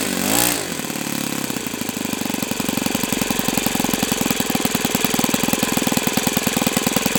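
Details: OS FS-91S II four-stroke RC engine on a test stand, first run, started at about quarter throttle after a healthy prime; brief starter whirr, then it catches and settles into a crisp, even, rapid beat with no misses or surging; runs healthy.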